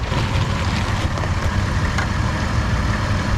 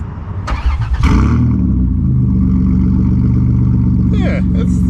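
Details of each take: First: Van idling warm after a test drive, following the muffler install: a deep, steady, smooth idle with zero resonance in the cab. Most of the earlier valve train clatter is gone, with only a faint trace of tick left. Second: Van with no muffler before muffler install: loud, raw, deep rumble with blips, harsh open bark of straight-pipe exhaust.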